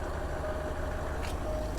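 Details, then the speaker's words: 2010 Range Rover Vogue facelift, 4.4 L twin-turbo diesel V8, long-stored auction car sold as non-running, idling just after it suddenly started: a steady, even, low diesel rumble with no knocks or misses. It sounds fine, a normal idle. "absolutely fine. It sounds fine."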